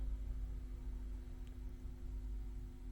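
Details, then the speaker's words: Marshall 1987 50 W head (2002 reissue), previously frying-bacon noisy, after PCB board reinstalled, resistors properly fitted and flimsy terminal wire replaced (two others not yet replaced): only faint steady mains hum and soft hiss, no crackling; quiet amp hum. "and it seems very quiet I'm not replaced the other two yet over there I just thought we'd get this going first"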